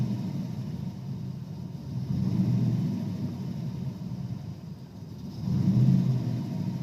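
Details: 1992 Ford Ranger with 302 EFI V8: deep idle rumble swelling and sagging unevenly, rough idle; also hesitates and chugs under throttle.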